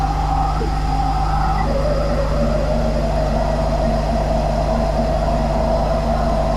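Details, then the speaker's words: Pressure-jetting a root-blocked downpipe and gully at about 2000 psi: a steady jetting hiss drops in pitch about two seconds in and stays lower as the jet punches through, and the water no longer backs up. "Hear the change in the sound as it's blowing everything through. I'm not sure if there's a crate somewhere or a soakaway."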